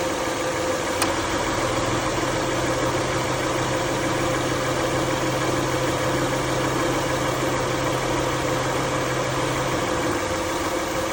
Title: What is making noises when AC on ?? #mechanic #car